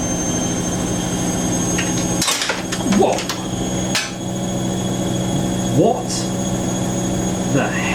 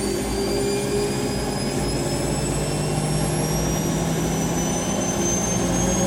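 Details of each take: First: Siemens WH54080/07 Extraklasse XL 1000 washer, first test wash on 90°C cottons, spin at 700-800 rpm: sudden hard clunk then another bang over the spin hum, like something falling to the bottom of the machine; cause unconfirmed. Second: Rescued Siemens WH54080/07 Extraklasse XL 1000 washer, Cottons 90°C test load, final spin at 1,000 rpm: steady smooth rush with constant high motor whine, no thumping or rattle, quiet due to sound insulation, no vibration; normal.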